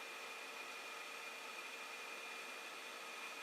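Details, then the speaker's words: Creality Ender 5 Plus bed moving down fast after Delrin/POM TR8x4 lead screw nuts were fitted: a quiet, steady hiss with a thin, constant motor tone and no squeak. The earlier lead screw squeaking is gone. "but no squeaking there"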